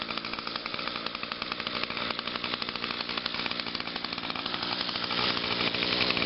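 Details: Echo two-stroke trimmer, unused since Friday, started on choke after about five primes on a hot 92°F day: a high, buzzy note holds steady, then picks up smoothly with no stumbling or misses, so it is running healthy.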